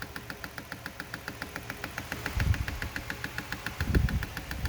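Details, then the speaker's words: 1983 Porsche 944 cooling fan on test, running slowly: a light, even ticking about five times a second over a low hum, keeping pace with the fan. The owner thinks the blades are hitting something; cause unconfirmed. "kind of hear it clicking. I think it's just hitting something."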